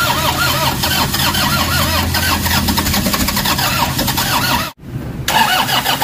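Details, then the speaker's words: Toyota Hiace diesel that suddenly died and won't restart even after bleeding, codes P0087, P0107, P0400: starter turns the engine over steadily but it never fires or picks up speed; crank no start from low fuel rail pressure. "Ayaw mag-start [Musika] So yun ang pinakaproblema niya ah talagang ayaw umandar tapos bigla lang siyang namatay and then hindi na siya umaandar."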